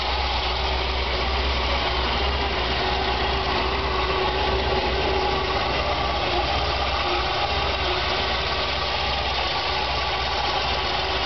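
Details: Chevy 454 big-block V8 at first start: lumpy, uneven, loping idle. Rough idle, cause not yet pinned down.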